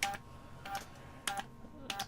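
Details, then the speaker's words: 7-band HF antenna switcher after changes to remove backlash when changing direction: crisp paired clicks about every 0.6 seconds, the ball-bearing detent then the contact touching, with no extra clatter; switching cleanly, backlash appears gone. "You can hear two clicks, the ball bearing, and then you can hear another click where the contact just happens to touch a sort of two clicks in there."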